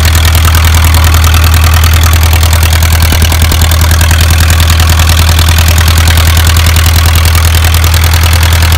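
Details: Isuzu 4BA1 85 hp diesel coupled directly to a 5-inch single-impeller pump irrigating a 20-rai durian orchard, pushing water about 800 m uphill; deep, steady thrum, even regular beat, no knocks or misses; normal healthy running under load.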